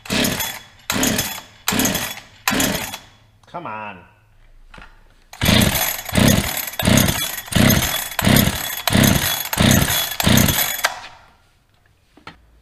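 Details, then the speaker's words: Holzfforma 372XP chainsaw, new from China, flooded after choked start attempts; repeated starter-cord pulls with no catch or firing; cleared by no choke and full throttle. "well now that it's flooded let us get some air"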